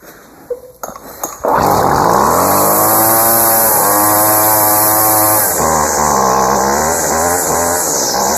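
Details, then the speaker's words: Weed Eater two-stroke trimmer after fuel line replacement, idle possibly low, throttle held at half choke: buzzes high, then sags and wavers as it tries to die; won't keep running, mixture screws need adjusting. "I don't think he's gonna want to keep running though okay so I'm gonna definitely have to play around with the mixture screws but it works"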